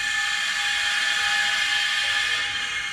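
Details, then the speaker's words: Minneapolis Moline G1050 tractor after new LP valves and fuel gauge were fitted, with some fittings leaking: valve opened, a steady high hiss with a thin whistle as LP gas flows into the tank; no leak at the gauge. "Turn the valve on. I don't know if you can hear that, but that's putting gas in my tank."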